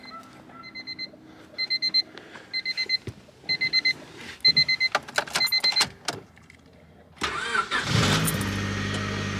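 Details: 1997 Honda Civic Coupe EX after priming: door chime beeps, short crank, catches right away and settles to a steady idle; starts cleanly.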